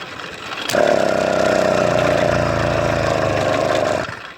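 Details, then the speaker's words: Motorized bicycle two-stroke, first start in over a year after a wreck that hydrolocked it with muddy water: it flares to a high buzzing rev for about three seconds, then cuts out and won't idle; the fuel is older than the bike. "it turns out the gas I was using is actually older than the bike itself and lost all [ __ ] flammability although in the second crank you can hear it actually rev for a second but that's it"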